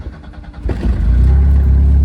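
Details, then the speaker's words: Race car starting after a fuel pump fault traced to a ground issue was fixed; quick crank, then it catches and settles into a strong, even low rumble with no stumble, a clean start. "Let's just show you guys that it works. We have a fuel pump. It was just a ground issue, but it set us back, you know, a good hour and a half, 2"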